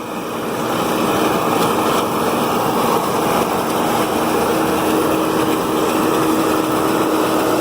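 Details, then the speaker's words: New Holland Roll-Belt 450 round baler pulled by a John Deere 4440, wrapping a hay bale with the knives in: a steady, mid-pitched mechanical drone with no knocks or grinding, which is normal baler operation. "if you're a farmer then you know that the wrapping of the bail process takes a little while yes it's normal for a bailar to be making this much noise"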